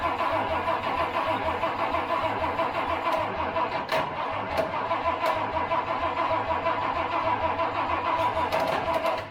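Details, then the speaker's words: Project Toyota FJ40 Land Cruiser engine on starting fluid; the spring-loaded choke won't stay closed and a power wire may not be staying on. Rhythmic cranking with brief catches that never hold. Owner suspects a fuel supply problem. "that was a good sign all right I'm assuming we're having fuel issues"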